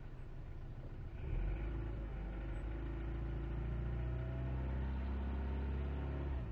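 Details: 1998 Jetta: low rumbling idle with an irregular lumpy beat and slight wavering tone; misfire with unstable idle, engine cuts out at 5100 rpm and dies after load unless given throttle when cold.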